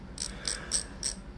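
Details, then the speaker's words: Bicycle rear-hub freehub body, disassembled and cleaned of its heavy grease to make the ratchet louder, then reassembled: crisp, sharp pawl clicks in short bursts of about four per second as the wheel turns, clean and even. Normal freehub ratchet clicking. "고급진 소리가 나죠? 꼭 우리 리볼버 총에 그 총알 넣는 거 그거 돌아가는 소리 같아요. 전 이 소리가 굉장히 좋아요."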